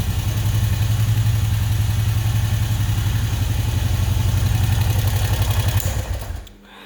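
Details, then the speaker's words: Honda 500 ATV with a sticking carburetor throttle: it revs and holds high instead of settling back to idle, with a lumpy pulsing drone before cutting off. The throttle sometimes sticks and gets away; a new carburetor is needed. "this thing does need a new carburetor because this uh throttle is sticking see just gonna play around with it and i still ride it like that and sometimes it does stick and sometimes it gets away from you"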